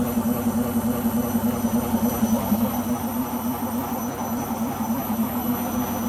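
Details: Beko washing machine on its last legs: loud droning roar with a steady low tone pulsing about three times a second during spin; owner suspects the rubber behind the drum, cause unconfirmed.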